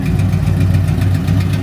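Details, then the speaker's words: 1964 Ford Fairlane V8 after a drive of about 60 miles: fast light ticking over a steady idle that keeps pace with engine speed. Lifter tick. "and you can hear the lifter still ticking but that's not the bad news"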